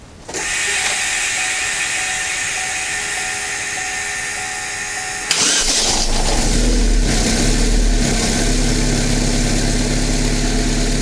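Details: Chevrolet Cruze, Z18-family 1.8 engine, 239,000 km, after budget repair of a piston knock: starter whirs a few seconds, then it catches and settles into a steady, even idle with no knock or tapping.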